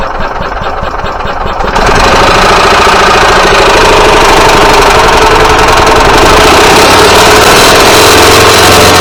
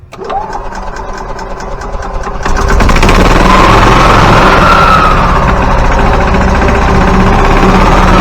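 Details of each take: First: Yamaha G29 golf cart engine after a rebuild: loud, steady clatter about four times a second; the cam, crank and balance shaft gears were out of time after reassembly, repaired by replacing the cam and crankshaft. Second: Yamaha G29 golf cart engine, fully rebuilt (rod, piston, rings), after replacing crankshaft and camshaft to cure gear-timing noise. Catches, settles to steady even idle, revs cleanly, no knock or tapping left: normal running.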